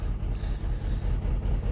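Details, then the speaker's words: Mini with BMW N12 engine, six-speed, 102,000 miles: lumpy, uneven idle with a low throb that stumbles in a regular pattern, like one cylinder missing; the car shakes. The misfire persists after coil pack and spark plug changes, and low compression is reported. "Unfortunately, what we've got here is a very poorly engine, as you can probably see."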